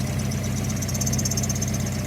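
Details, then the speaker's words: NB Miata (1999–2005) idling with the intake fitted; the harmonic balancer's rubber sticks out at the front. Steady, even idle with no wobble, knock or squeal. It runs great, though an earlier squeak was suspected to be a belt. "So, there's the balancer and you can see the rubber sticking out the front of it, but it's working and it runs great."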